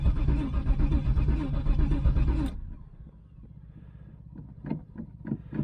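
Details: 1996 Pontiac Trans Am, LT1 5.7, bought as a non-runner said to have no spark or fuel; with a fuel pump just hooked up and a brand-new filter, the starter chugs low and regularly for about 2.5 seconds but the engine never catches: cranking no-start.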